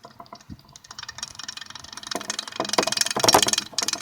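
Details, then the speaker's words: Worn belt tensioner removed from a 2005 Mazda 3 automatic, shaken by hand: loose metallic internal rattle, the same noise heard on acceleration at certain RPMs. "hear that yeah that that that same sound you hear you're hearing that's how it sounded when accelerating that rattling noise it sounded annoying"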